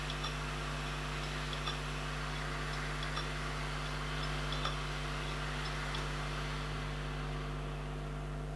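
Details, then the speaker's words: Failed Seagate Barracuda 3TB drive on its SATA base, powered up: faint irregular ticking about three a second with a scrape over a steady hum, never settling to a clean spin; cause unknown, owner doesn't believe it was dropped. "See that scrape a little bit there. If anyone can tell me why it does that, that'd be awesome."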